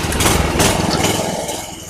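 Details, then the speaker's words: Craftsman 3000 psi pressure washer with Briggs & Stratton 190cc 8.75 hp single-cylinder engine, found abandoned as non-running, first start with fresh gas, no water through pump: catches and runs steady, even beat before shutdown; sounds healthy. "All right, that sounds really good. I'm not going to let it run because there's no water going through the pump. I don't want to overheat the pump."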